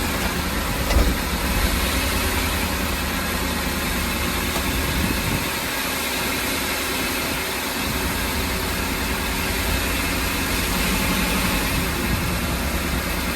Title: Ford E-350 the engine is shaking and there is not a misfire code, what can be?